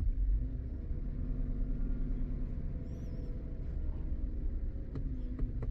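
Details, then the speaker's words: 2015 GMC Yukon that started stalling after its swapped oxygen sensors were reconnected correctly: steady low drone that barely picks up when the throttle is blipped, heavy with no power; mechanic wonders about clogged catalytic converters or the computer. "miren está curioso eh le acelera y no responde Mira le hizo raro O sea no responde normal"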